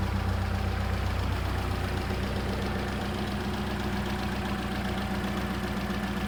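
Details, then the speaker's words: Polo GTI 6N2 track car with a replacement engine, first start after installation before its service: steady, even idle with a constant low hum and no misses or surging, left running to warm up; normal idle. "So we've got it running. You can hear it running in the background. Hopefully you can hear me. So I'm just going to let that run, warm up a little bit, circulate the coolant, and then the next thing for this is it's going to get a good service. It sounds alright, so I'm not too worried for the engine at the moment."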